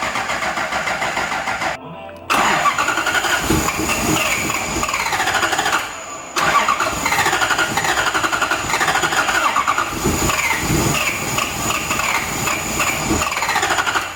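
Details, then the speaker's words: Lexus IS200 with a swapped 1UZ V8 on ECU Master, 16 degrees timing, fuel pressure 58 falling to 40: long runs of steady cranking with short pauses, never fires. Crank, no start; owner suspects the new coils are too short to reach the plugs. "Ça vaut pas, hein. Putain, on n'est pas loin, sa mère."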